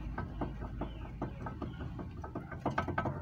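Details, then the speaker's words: 2010 Kia Cerato, car parked, lower ball joint of the sway bar link worked by hand: dry clicking knocks about every 0.4 s, quickening near the end; worn, loose link joint causes the suspension noise, fixed by replacing the link. "um barulhozinho que com o carro parado pode até parecer um barulho baixo um barulho que não incomoda porém as duas beletas com uma folga assim você andando no carro trepidando na rua é um barulho insuportável"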